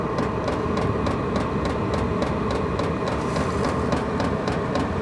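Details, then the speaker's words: All-in-one diesel camping heater warming up: dosing pump now going fast, sharp even ticks about three a second over steady burner roar, little heat yet; normal running. "oh now it's going real fast the pump is"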